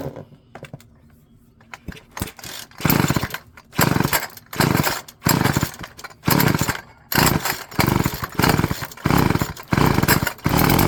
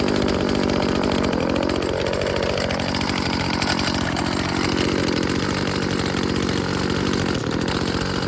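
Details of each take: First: Old Stihl FS36 two-stroke string trimmer, with gasoline-oil fuel in the tank and no water: catches in short revving bursts about once a second, then dies each time. Owner suspects failed fuel lines and plans a carb rebuild. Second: Old Stihl FS36 two-stroke string trimmer tested outdoors: steady high buzz that holds its revs without stumbling. Runs cleanly, though its on-off switch doesn't work and it is stopped by choking.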